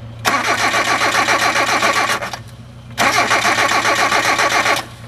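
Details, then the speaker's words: Hyundai, cold start. Two long spells of cranking at about four compression beats a second with no catch. It gets no rich cold shot or fast idle and starts with sprayed gas; the owner suspects idle air control, unconfirmed. "yep it wants that shot of gas so so if I take the bottle of gas and spray it in it's going to crank right up"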